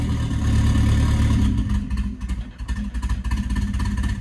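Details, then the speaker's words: Nissan S14 with a loud, raspy open exhaust dropping back to a low idle that holds on its own, slightly lumpy but steady, after the fuel pump was checked for priming; the idle problem is solved and the idle is normal. "It wants to. That's good. That's a good sign."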